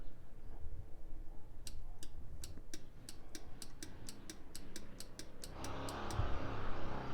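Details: Automotive relay bench demo (from 1965 Nova wagon electric fan circuit that overheated): crisp, evenly spaced clicks two or three a second as the relay switches cleanly; normal operation.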